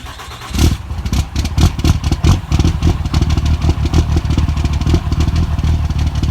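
Engine catches, then idles rough and lumpy with irregular stumbles and dropouts in the exhaust beat, a misfire on cold start.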